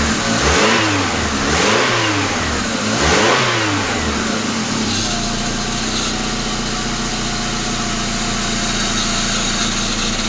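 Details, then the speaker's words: Rebuilt 1999 Grand Am GM LD9 2.4 Quad 4 on first start-up revs a few times, then idles with a rough grinding from the failing AC compressor clutch on the serpentine belt; the compressor, whose shaft seal also leaks, needs replacing. "so so this other ac compressor clutch making some noise so so let's make sure it's something on that serpentine belt before we go any further"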